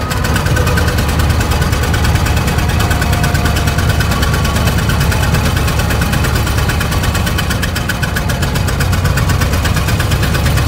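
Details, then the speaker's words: 1920 Ford Model T barn find, first start after about 10 years sitting, adjusting timing: lumpy uneven idle with missing pulses, running on only one or two cylinders; misfire from stuck valves, low compression on one cylinder. "so right here I'm adjusting the uh timing it's really only running on one or two so it sounds like one sounds like the the 199 brush having a little issues here see what we can come up with but it's definitely not running good"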